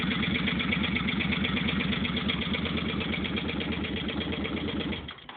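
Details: Just-bought 2005 Suzuki Boulevard C50 V-twin, recorded on a phone: a steady light tapping about three per second rides over a lumpy idle; top-end tapping noise, cause unknown, owner asking for advice.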